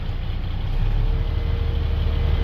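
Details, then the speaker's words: Volvo grapple truck diesel, in neutral with PTO hydraulic pump engaged, idle raised to about 1,000 RPM: smooth, steady run with a faint even pump hum; normal raised idle under hydraulic load. "We now have hydraulics, and we're going to set the RPM up a little bit. That's done right here. I usually like about 1,000 RPM."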